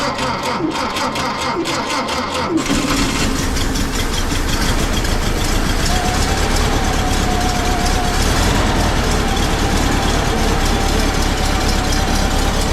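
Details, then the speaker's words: 1952 Volkswagen Beetle split window standard, air-cooled flat-four, running after 40 years sitting once the fuel system was redone, the carburetor cleaned and the stuck needle valve freed: steady, even idle without stumbling; normal idle. "oh we she's a runner she's a runner that's correct 40 years minimal work redid the fuel system cleaned the carburetor basically basic stop got her running"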